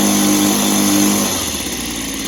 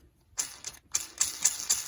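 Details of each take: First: Echo PB265 ESLT two-stroke backpack blower after new crank bearings, started on choke: settles into a steady, even buzzing idle with no rattle or bearing noise, much quieter than before; carb may still need cleaning; normal idle. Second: Echo backpack blower noisy when running: crank bearing spun by hand gives dry, gritty rattling in quick bursts; bearings rusty inside, to be replaced with new crank bearings.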